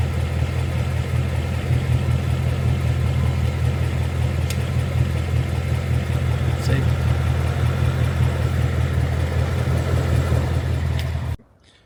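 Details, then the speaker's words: 2022 Mustang GT Coyote V8 at idle, just after an oil change and before adding Liqui Moly Ceratec. A faint, light, even tick (the "barbecue tick") rides over the steady low idle. "I mentioned showing you the barbecue tick before adding the Ceratec. So this is directly before me adding it. I just got home from the oil change, and here is the sound."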